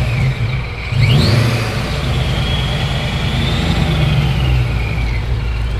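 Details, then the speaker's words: ProCharger-supercharged Ford Mustang, first start in three weeks after sitting without fuel, revving: deep even roar with supercharger whine climbing and falling with revs, jet-like; runs smoothly, sounds healthy. "that sounds ridiculous Wow that sounds like a jet dude"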